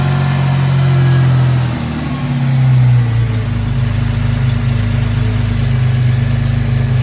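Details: 2002 Ford Mustang 3.8 V6 automatic after replacing PCV valve and breather hose: uneven wavering idle dipping around two seconds, still rough and stalling; owner suspects a remaining vacuum leak.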